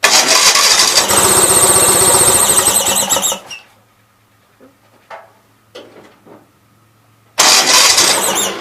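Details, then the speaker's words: Gravely 450 with Onan CCKA twin, oil gauge temporarily plumbed in, about 35-40 psi oil pressure: high steady squeal over the fast, even beat while running; cause unconfirmed, owner plans an oil filter change. "okay hopefully you guys saw that but had 40 pounds of oil pressure definitely you guys can hear the squeal it has"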